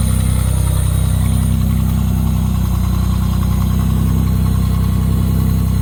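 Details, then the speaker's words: 1987 Pontiac Fiero GT with newly built custom exhaust, first start after work: deep steady burble about four beats a second, even and unbroken; normal clean idle. "so that is a running 87 Fiero GT with custom exhaust"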